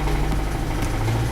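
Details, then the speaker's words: 2007 Kia Optima started for the first time in almost a year: deep rumbling idle with a dull knock about twice a second under the engine note; owner believes it is rod bearings, not confirmed. "I believe that's rod bearings and that ladies and gentlemen is why I was able to pick this up for five hundred dollars"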